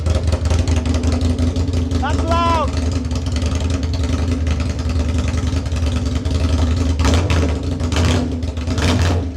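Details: Aprilia Tuono 1000R V2 Rotax V-twin, first start after purchase with battery connected, no muffler fitted: loud deep even beat with steady firing and no misses; runs cleanly.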